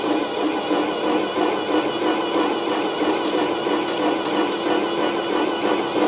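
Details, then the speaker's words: A6 airless paint sprayer priming with water in prime mode: steady pump chatter about three beats a second with a rattly buzz, normal hopper vibration with water that stops once paint is in. "so okay so that vibration you hear that ch ch Chong is generally the hopper vibration with water in it it won't do it with there's paint in there"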